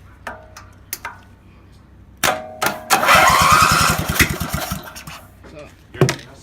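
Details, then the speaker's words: Old mower, run after 10+ years with new starter, governor not attached: catches and runs unevenly, loping and stumbling like a misfire before dying; choke stuck closed made it run rich. "the choke was staying closed which is creating a vacuum which is pulling in more fuel and you don't need that much fuel"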